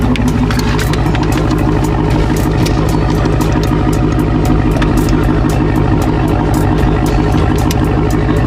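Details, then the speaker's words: Dodge Charger Hellcat V8 after a no-start problem, running before a battery and starter system check: a deep, steady, lumpy burble with no knocks or misses, sounding as it's supposed to. Normal idle. "That's how it's supposed to sound. That is how it's supposed to sound. With the bucket."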